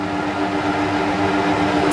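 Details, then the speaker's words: Trotec TTK 75 E dehumidifier sound test: steady, even blower-type fan hum with a faint tone and no rattles or scraping; mostly fan heard, compressor almost inaudible; blower running normally. "This is the noise level from this guy. In all honesty, you can mostly hear only the fan. Blower type fans are noisier than standard type fans."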